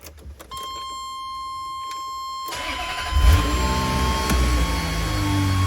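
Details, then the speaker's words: 1997 Ferrari F355 V8 (F129B, Motronic 5.2) after new spark plugs and ignition coils to cure a misfire: brief crank, catches cleanly, steady even idle with no stumble; healthy. "but that sounds good to me guess i'll move some cars and we'll take it for a drive"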